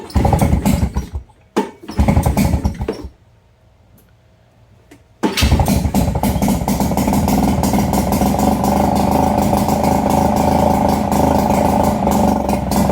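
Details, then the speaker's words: Nissan 5hp two-stroke outboard from a Marketplace jon boat, first start after carb cleaning: a few pulls, then it settles into a fast buzzy idle, slightly uneven while cold. Owner thinks it needs warm-up or tuning. "probably got to warm up a little. [Applause] I would call that a running engine. probably need to tune it a little bit or at least just let it warm up."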